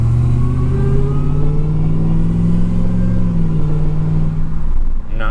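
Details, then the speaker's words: Dodge RAM 1500 regular cab swapped from 5.7 Hemi to supercharged 6.2L Hellcat V8, new tune, first test drive: deep strong V8 pull rising smoothly under throttle, no knocks or rattles, no weird sounds. "all right boys so no weird sounds"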